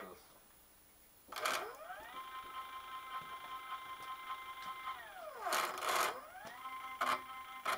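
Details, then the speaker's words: 85-year-old Alba 1A metal shaper retrofitted to CNC, X-axis stepper motor run at about 60–65 V, machine well-oiled and stiff toward travel end: whine climbs, holds, falls with sharp clacks; motor skipping steps, owner suspects insufficient torque. "sitting here you're losing steps here which is bad the machine is well-oiled it works another step lost"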